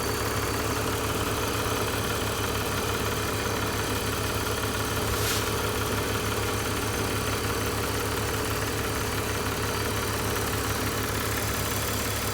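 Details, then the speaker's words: 2005 BMW 330i ZHP back running after sitting 15 months, oil changed, air meter clips refitted: quiet, steady, even idle with a smooth low drone, no ticking or misses, temperatures good, oil cooler not leaking; normal idle. "ran it around as you can hear it's nice and quiet temperatures doing great no more ticking"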